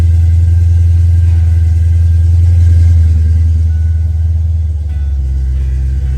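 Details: Ford Foxbody Mustang with misfire, after swapping the distributor pickup and TFI module: heavy low rumble with uneven loping pulse changing as revs drop; misfire traced to a bad distributor, spare also faulty.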